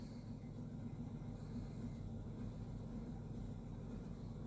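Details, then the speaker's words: 2008 Chevrolet Equinox 3.4 L V6, nearly warm, P0300, after swapping injectors: low uneven idle rumble with irregular stumble about three or four times a second, misfire on cylinder 4 at idle still present and worsening. "As we can see, we still have a misfire on cylinder number 4 at idle. It's actually getting worse."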